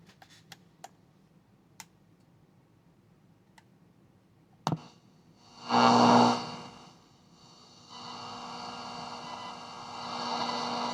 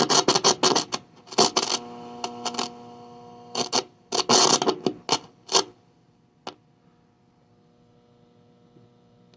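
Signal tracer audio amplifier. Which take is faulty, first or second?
second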